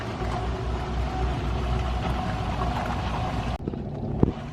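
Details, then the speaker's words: Empty holding tank on a Dynamax DX3 RV: the macerator pump spins dry with an even, low hollow drone, no slurping or load changes, then is switched off after dumping. "if you hear that noise, I'm not sure if you can, that is the sound of it being empty. I'm going to turn the macerator off."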